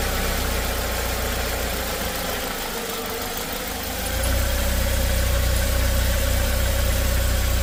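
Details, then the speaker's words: Chinese Joylong van/bus (2015 or 2017), engine cold in open loop: uneven rough idle with dip and surge in the low drone and an airy hiss, stalling; noise heard from the throttle; ECU already replaced elsewhere without fixing it; cause unconfirmed. "so I'm still in open loop right now it's running real [Music] rough oh and stalling out"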